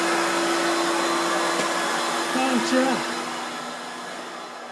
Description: Spluttering Hoover with intermittent failure to start